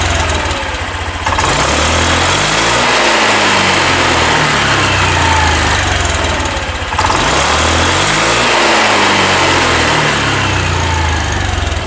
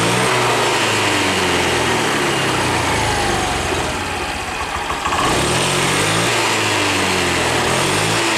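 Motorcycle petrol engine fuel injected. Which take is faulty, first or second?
first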